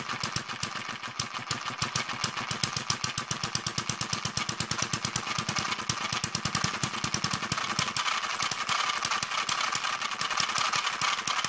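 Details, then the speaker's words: Newly built Kerzel hit-and-miss model engine, water-cooled with spark ignition, still running in: fires quickly and continuously, about seven to eight beats a second, never coasting; governor mechanism still stiff. "Um like I was saying at the moment the engine's still running in. So all the mechanism for the governor is still quite stiff at the moment."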